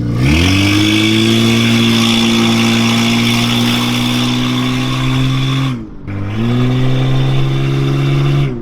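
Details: Soarer with 1JZ twin turbos (about 13,000 miles), brake-boosted: revs rise with turbo whistle and audible spool but boost gauge barely moves, no boost leaks found; owner suspects something stuck; turbo not building boost.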